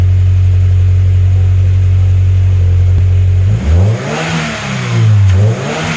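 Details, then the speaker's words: Turbo Scion FRS boxer engine after spark plug replacement, a broken plug ceramic suspected of causing misfires: smooth even idle, then two crisp throttle blips with no misfire; starts easier, sounds much better. "Wow, the car sounds so much better, starts much easier, everything."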